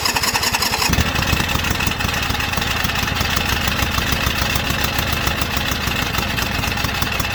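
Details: White Outdoor LT542G riding mower twin in a cold shop, running rough, drinking gas and putting fuel in the oil: it catches after a short crank, then runs with a rough, uneven beat instead of a clean idle. The carburetor main jet was found missing.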